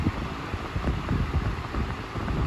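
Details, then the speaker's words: 1998 Patton 20-inch high velocity fan (I-20CA/U220), restored, cleaned and oiled, on low speed: soft even whoosh of air with no rattle, ticking or wobble; running smoothly, very minimal shaking. "Beautifully running fan. Very minimal shaking."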